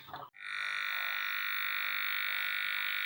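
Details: CRT TV no-sound repair, with video input connected: touching the audio input brings an instant steady buzzing tone from the speaker, showing the audio IC sound stage amplifies and works fine.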